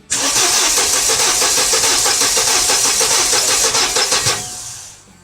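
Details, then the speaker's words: Mercedes SLK230 being troubleshot for a no-start: fast, steady starter cranking for about four seconds that nearly catches but doesn't run. Crank, no start. "That almost started, dude."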